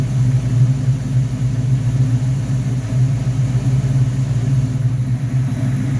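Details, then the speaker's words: 1969 Corvette V8 on a freshly rebuilt Rochester Quadrajet 7029202 carburetor, first start on a freezing day: it fires up and settles into a low, steady burble at an even idle, with no stumbles, surges or misses; normal idle. "She's ready to roll. [Music] Fires up. Nice. Sounds good."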